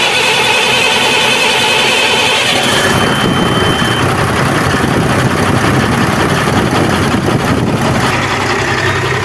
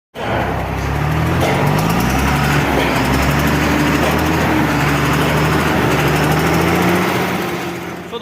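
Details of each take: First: Cummins truck diesel after repair of a tick-tick engine noise: cranks, catches and settles into a busy but even idle with no knocking; normal running after the fix. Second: Cummins diesel truck engine running: rapid uneven tick-tick over the low rumble, engine lacking power but no black smoke; head gasket found leaking at cylinder six.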